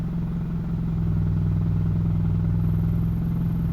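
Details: 2006 Honda CR-V stopped in gear, foot on brake, A/C on; coarse uneven rattle about four knocks a second over low idle; began after starter replacement, new motor mounts didn't cure it; owner suspects exhaust banging.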